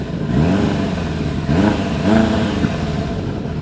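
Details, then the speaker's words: 1999 Kawasaki ZRX1100, revived after sitting twelve years, airbox deleted, carbs not set to spec, owner suspects 100 main jet slightly small: cold start with uneven blips, stumbling revs and wavering pitch; rough cold idle with misfire that eases as it warms. "We do a cold start on it here, and the misfire does go away after a little while, but"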